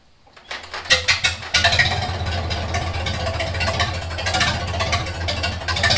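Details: 1942 Farmall H tractor, hand-cranked after transmission repair (scraping/screeching, hard shifting from reverse): catches within a second and settles into a steady, even low beat; runs fine with carburetor not yet adjusted.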